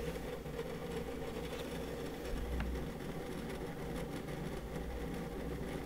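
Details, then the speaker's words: WD Red Pro 20TB NAS hard drive (9 platters) in a small plastic NAS enclosure under peak load test: fast irregular clicking chatter over a low steady enclosure hum; noisy but normal seek noise for large enterprise drives. "pretty noisy right basically if you do go for a larger capacity hard drive particularly enterprise drives like this that is the kind of noise we're talking about"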